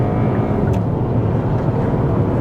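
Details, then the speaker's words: 2020 Kia Sportage after short block replacement and rebuilt new cylinder head, driving at full throttle during break-in; steady smooth engine drone with road rumble, no ticking, knocking or smoke; normal engine under load. "See, it's good. I mean, I don't hear any noises. I don't see any smoke behind us or anything."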